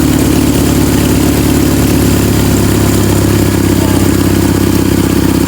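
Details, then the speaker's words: Toyota 5K engine after restoring the ported vacuum advance, tuning the carburetor and setting timing, upgraded racing headers: loud, firm, even engine note, strong pulse with no misfire, pulling cleanly; normal running. "Yung ingay niya sa headers mga kapatid, upgraded yung headers niya."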